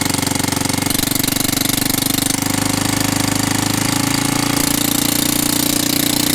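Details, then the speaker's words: Kansas motorcycle at idle with a harsh, rapid ticking in time with each firing pulse that sounds like valve noise. It is blamed on exhaust sound escaping through a hole closed with a screw; a welded plate is planned to muffle it. "hoje eu vou tirar aquele barulho feio de válvula que ela tá fazendo vai ficar um barulho mais abafado mas original tá"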